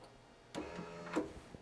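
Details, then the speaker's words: 2004 Lexus LS430 with water damage, trunk latch tested by hand with the soft-close button pressed: short electric motor whir ending in a latch click; the soft-close motor pulls the trunk down normally. "he heard that that's what actually pulls the trunk down and now the computer knows that the trunk is closed"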